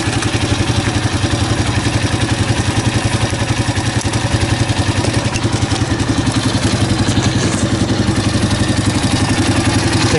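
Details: 2005 Honda CRF230F air-cooled single, after carburetor cleaning, microphone at the clutch side: steady, even thump at idle with no clutch chatter or rattle; normal idle.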